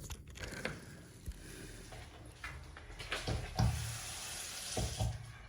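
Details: Water-supply pipe leak heard through an acoustic listening device: a faint running-water trickle and hiss under taps and room noise, pinpointed to the corner pipe elbow.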